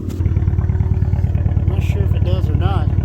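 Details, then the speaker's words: Salvage 2013 Fiat 500 Abarth turbo revving after first start with a check engine light on: deep, even exhaust throb with turbo whistle rising as revs climb, no misses or knocks; runs well. "man i wasn't expecting it to have an exhaust sound like that i don't know if that's factory or just have to mark market a what but it's pretty daggum cool you can really hear the turbo too i really like that"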